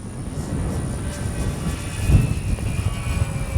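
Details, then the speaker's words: Dynam Cessna 310 Grand Cruiser V3 RC plane in flight, twin Detrum BM2815-1100KV brushless motors, spinners removed to fix earlier problem: smooth, even motor purr under gusty wind, no roughness or wobble; sounds much better. "yeah, that sounds so much better."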